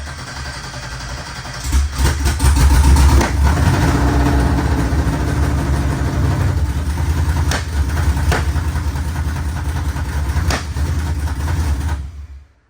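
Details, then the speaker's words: First start of LS-swapped 4x4 Cadillac burnout car (the Badillac) after fuel pump cycling: rough, lumpy idle broken by sharp irregular pops every few seconds; misfire and backfire caused by two coil wires plugged in backwards. "I think she runs I'm not sure why it's backfiring yeah all right stand by we're gonna take a look at the coils make sure they're in the right spot all right had two uh two coil wires plugged in backwards"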